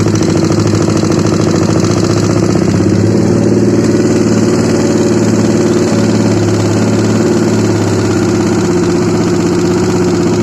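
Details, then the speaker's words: Honda CBR150 single idling after running completely out of oil, still noisy after an oil change; a steady idle with a rough, uneven clacking from the middle and top of the engine, a mechanical rattle whose exact cause is not yet confirmed. "Dan masalahnya itu suara mesinnya kasar banget ya. Kita dengarkan dulu nih. Kunci kontak on. Dengarkan ya, ada suara klak di bagian tengah."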